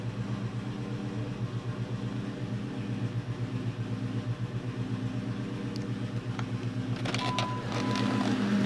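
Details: 2002 Ford Mustang GT at idle after installing a thread insert in cylinder 3: lumpy idle with uneven pulse about four times a second, missing beats in exhaust; misfire, cause suspected, unconfirmed.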